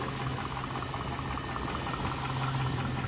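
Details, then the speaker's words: Trailblazer SS V8, warm idle, stock exhaust and muffler, MSD plug wires: light, fast uneven tick about two or three a second from the top end plus slight belt squeak; owner unsure if a lifter, unconfirmed. "it's not the quietest motor ever but it'll it'll be all right for now has a little bit of a squeak in the belt sounds like there's a little tappy tap up here i don't know if the lifter is getting more but"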